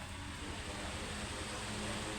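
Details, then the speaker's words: Electric fan at speed 3 after spraying WD-40 on the worn shaft and bushing: steady airy whoosh with low even motor hum, the earlier ticking gone; normal running after temporary fix, oil still to be added. "So napapansin niyo no wala na yung lagitik. Oo nga. Kasi na-sprayan natin ng WD4 at lalagyan na lang natin ng langis yan."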